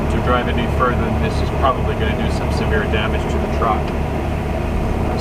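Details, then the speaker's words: Truck diesel idling, clutch fully released in reverse but not moving: steady rumble with rattling; driver suspects failing transmission or clutch, though first and second gears still engage. "soon as I put this puppy in Reverse this is what it does my foot is completely off the clutch I'm not moving anywhere you can hear that rattling it's not good not good at all"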